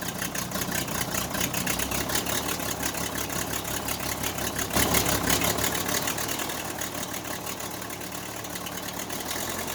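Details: Case 580C backhoe diesel after valve adjustment, injector replacement and fuel stop cable fix; settles into even idle with regular light clatter around three per second, no misfire or stumble; normal diesel idle.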